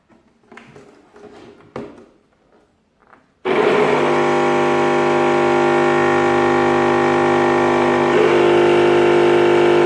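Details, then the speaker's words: Mixer grinder over 15 years old with slow rotation, burning smell: loud steady hum with no speed build-up before built-in breaker trips; cause found to be damaged rotor windings and commutator. "Look, it's working with the hum, but for very short time the breaker is blown."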